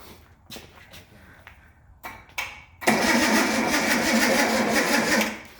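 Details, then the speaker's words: Car with rebuilt flat-top carbs and a distributor points problem: the starter clicks, then the engine cranks slowly and laboriously for about two seconds without starting; a weak battery, later swapped for a bigger one. "didn't crank it very fast did it no we might need to put a booster on it"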